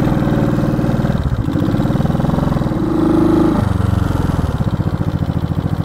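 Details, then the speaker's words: 1970 Honda CB350 twin after sitting a year: lumpy uneven running, revs lift then sag instead of pulling cleanly; old gas suspected, battery measured 12.96 V; engine bogging under throttle. "yeah she's bogging bogging a little"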